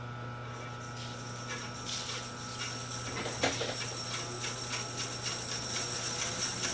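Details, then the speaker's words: Restored 1925 Oliver bandsaw at first start after 4-5 months of work, doors open, blade tensioned: steady low motor hum with soft rhythmic whoosh from the spokes, no knocks; running smoothly with very little vibration. "Man, I wish you guys could be here to feel the wind coming off those spokes. running so smoothly. There's very little vibration."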